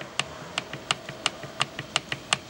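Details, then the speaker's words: Suzuki Samurai transfer case with Trail Gear 4.9:1 gears, disassembled: sharp metallic clacks about three a second as input gear and countershaft gear slap back and forth from loose, sloppy engagement; owner believes this causes clacking, unconfirmed. "you take a look and you can hear that sound that's those gears slapping back and forth due to that slop a lot of slop between these two"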